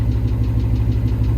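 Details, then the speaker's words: Engine knock at idle after hot lapping at a race, revving and shooting flames from a hot kit, then the engine shut off; steady idle with regular deep knock about six per second. Owner suspects it shut off too late, cause unconfirmed. "so guys if you listen really really really close you can hear the tick so there is a knock so I don't know if you can hear it yeah that's not good"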